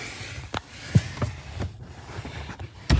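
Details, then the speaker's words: 2013 Kia Ceed, steering wheel turned: dull uneven clunks like a worn rack, caused by a loose 12 mm bolt before the steering rack; tightening it fixed the noise. "So you see this bolt there, we're gonna tighten it because there is a gap, like there is some looseness between this part and the other part down there."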